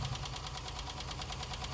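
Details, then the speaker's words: Petrol engine just after a morning cold start: fast, even ticking about ten taps a second over the idle; mechanics often blame the tappets, but incomplete oil supply to the engine is among other possible causes; unconfirmed. "طبعا اول حاجه بتتقال لك من فن ميكانيكي او من واحد صاحبك ده صوت التاكهات يا هندسه او البلافه يعني التاكهاات فيها مشكله"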